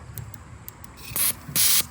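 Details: Old-school 42 lb knockoff fuel injector for a Fox body Mustang, bench-tested after cleaning with parts-store supplies: a few light ticks, then sharp hissing bursts about a quarter second long; the freed injector now opens and sprays cleanly.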